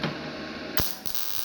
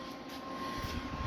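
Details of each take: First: GZ Guozhi MIG 200P welder, starting at wire speed 105 and 16.4 V: a crackling, uneven arc with sharp irregular pops. The voltage is then turned down a little to 16 V, and the heat still feels too high. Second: GZ Guozhi MIG 200P multi-process welder on a 110 V outlet through the supplied 220-to-110 adapter, powering up: a steady fan rush with a faint hum rising slightly. The lights come on and it runs normally.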